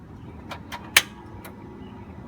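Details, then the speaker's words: 1999 Mercedes-Benz ML320, key turned, heard from outside near the starter: sharp single clicks with no cranking; failing starter, sporadic for months, sometimes started after repeated tries or a hammer tap. "and that's what you'll hear when your starter is not working correctly"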